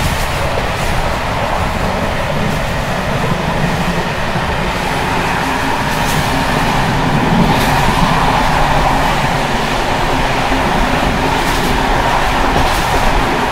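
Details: Czech Bd264 481 coach (built 1979), Görlitz V bogies many kilometres since last major maintenance, evening express on uneven line 190 between Hluboká nad Vltavou and Číčenice: loud rolling rumble with irregular sharp clatter and bangs over joints as brake rigging bounces. Rattling worn bogie brake rigging.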